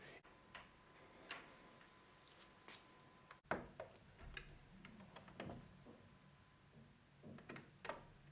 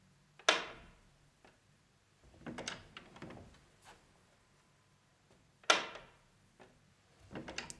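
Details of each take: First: Interior door with a magnetic latch that used to bang its tongue against the jamb, after a thin strip of nonwoven material was stuck on the latch tongue: only soft, muted clicks as the door shuts; it now closes quietly. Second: Interior door with magnetic latch: sharp loud clack each time the door shuts, quieter rattles between, as the magnetic latch tongue slaps the door frame; fixed by sticking a thin strip of self-adhesive non-woven material on the tongue end.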